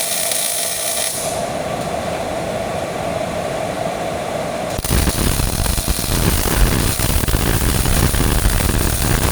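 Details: Miller-Matic 251 MIG welder at 21 volts, 366 wire speed, welding pipe fittings: steady, even frying crackle after the arc strikes, no popping or sputter; normal well-tuned arc.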